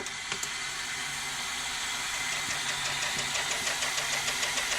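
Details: Toshiba V5470B Betamax recorder, rewind after reworking the transport idler: steady high-pitched whir with faint regular ticking as reels spin up evenly; rewind at good strong speed.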